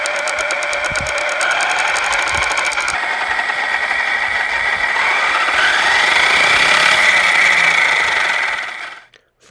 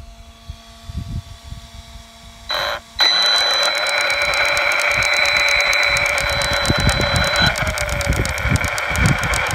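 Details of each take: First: Losi Lasernut U4 RC truck after re-setting the front ring and pinion gear mesh, one battery pack run through it. Steady, even motor and gear whine with no ticking or clicking; drivetrain now smooth. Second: Losi Lasernut U4 RC truck: persistent drivetrain clicking, faint when new and getting louder, not from the wheel bearings. Sharp regular clicks about four a second over motor whine; loose ring and pinion mesh in the front differential.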